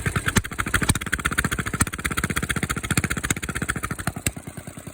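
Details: Small petrol engine idling after a cold start in mild weather, having sat 2-3 hours, started on choke with a little throttle; an even, quick putter with no misses or knocks. It is idling cleanly and running good.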